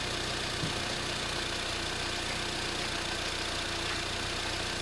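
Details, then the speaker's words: 2006 Mini One R50 Tritec engine idling after timing chain replacement: loose tinny metallic rattle like metal spinning by the flywheel, appears with clutch engage/release, quiet with clutch down; suspected clutch release bearing, unconfirmed. "It does sound like it's something very loose. You'd almost think it was a piece of metal being whizzed around by the flywheel."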